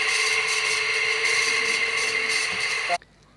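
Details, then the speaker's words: High-speed ceiling fan running before repair: loud steady high-pitched rasping hum that stops abruptly when switched off; loose, worn bearings. "तो ये आपने देखा दोस्तों इसमें कितनी बुरी तरीके से साउंड आ रहा है।"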